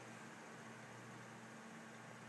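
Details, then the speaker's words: New Dynatron CPU cooler with a ball bearing fan, replacing a cheap cooler whose fan whined, PC just switched on: soft, even airy whoosh with a faint steady hum, no rattle or ticking; much quieter, fan running smoothly. "uh oh that's much quieter listen to that there's no noise coming from that and even when it gets loud it's not ridiculously well it's not ridiculous it's pretty good actually"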